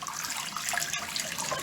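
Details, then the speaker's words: Farm-style waterfall faucet after throttling the shutoff valves back from full open (water pressure too high caused high-pitched noise on hot and cold): soft, even water hiss with no whistle; quiet proper flow. "See how much quieter it is. So that's what you want. Just barely enough water for it to flow out like that."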